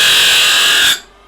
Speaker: the wheels just keep on spinning this thing eats metal and is absolutely amazing